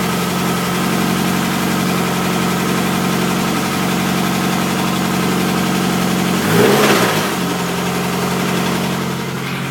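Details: 2004 Chevrolet Cavalier LSJ petrol engine, cold start after six months' storage, idling with a light steady tapping through a blip; engine knock that began while cruising with power loss, one cylinder earlier tested low at 125 psi, cause unknown.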